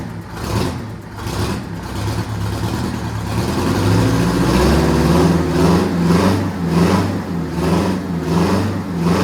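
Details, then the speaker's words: 1969 Kenworth cabover with an 8V71N Detroit two-stroke V8 diesel, revived after sitting and slow to prime at first. It builds from a rough start to a steady, strong drone with even pulses; runs healthy. "it runs I like it sounds good I want to drive it now"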